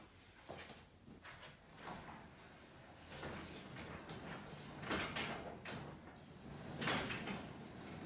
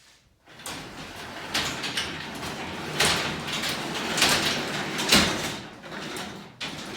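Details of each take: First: 9x7 garage door after replacing worn steel rollers: travels with only soft, even roller clicks and a low, smooth rumble, much quieter than before. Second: 9x7 garage door run by hand before repair: rumbling, scraping, harsh bumps and squeaks from worn-out steel rollers, later replaced with nylon rollers.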